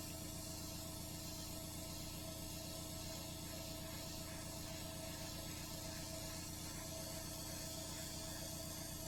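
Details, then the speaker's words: Iwata HP-CR airbrush with compressor backed off to about 30 PSI, test-spraying onto cardboard before painting a SkyShark P-40 RC plane. Steady, even hiss of air and paint over a low compressor hum, no sputter or pulsing; spraying cleanly. "I've also backed off my PSI now in my air compressor to where it is at about 30ish PSI so I'm going to just spray on this cardboard backing here a little bit to make sure it's okay"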